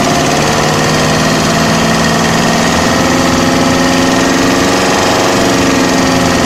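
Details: OM601 2.3 diesel at idle with a loud, hard clatter and a fast, steady knocking over the engine note; an engine knock, cause not determined.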